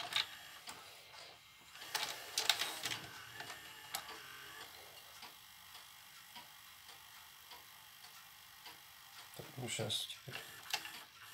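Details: Shivaki VCR that ejected cassettes slowly, tested after replacing the stretched drive belt with one cut from a moped inner tube. A soft motor whirr with light clicks and a couple of firm clunks as the cassette draws in; loading sounds healthy.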